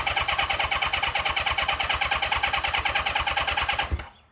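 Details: 1982 Honda CB650, first test fire after VB44 carburetor rebuild, fuel hooked to main line without tank: catches and runs with an even quick pulse for about four seconds then cuts out; fires cleanly, normal running.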